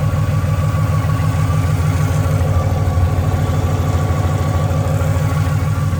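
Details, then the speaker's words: Ford Mustang Boss 302 V8, recently boosted after full bolt-on NA build, accessories checked good: steady mid-pitched whine at constant pitch over the lumpy idle, source not yet pinned down. "We just went boosted, and listen to this baby whine."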